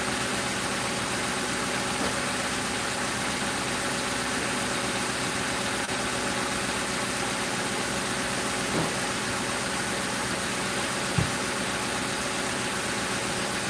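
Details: 2005 Crown Victoria police car V8 idling after replacing the grounded No. 4 ignition coil and plug that blew fuse 9 and cut all eight coils; steady even hum, no misses or knocks; normal idle.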